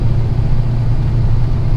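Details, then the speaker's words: Ex-daily Fox-body Mustang driven after sitting for months, with an almost full tank: a steady, even low engine drone under way with no knocks, misses or surges; the engine is running smoothly. "here's what it is yes she's running pretty smooth though too bad not too bad at all has been a while"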